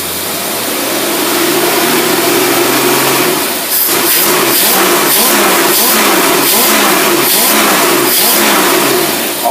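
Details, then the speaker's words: Test-stand engine with Holley teapot carburetor, running in neutral with cooling fan on: picks up smoothly from idle and holds strong even revs, no misses or knocks; runs healthy. "Okay, so now we got it running just like it's in your car. Engine neutral."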